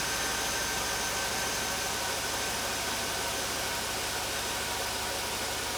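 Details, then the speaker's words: Replacement electric radiator cooling fan motors after swapping out noisy old ones, forced on with the AC, likely on low speed only; even, steady rushing of air with no rubbing, ticking or wobble, normal healthy fans. "They're on. I think they're only on low speed though. Oh yeah, that sounds a hell of a lot better."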